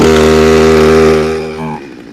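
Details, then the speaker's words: Carbureted chainsaw just started with chain brake on: steady high-pitched buzzing scream at high idle, even before dropping to standard idle after throttle pop; normal high idle. "when she runs she's going to be a screaming banshee because it's on high idle but I've got my chain breake on"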